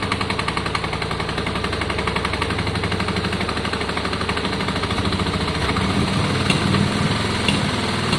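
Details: Yamaha Virago 535 V-twin after carb clean, re-jetting and idle adjustment: lumpy, loping twin beat with a steady rumble that firms up and gets louder as it revs. Pulls cleanly and sounds healthy.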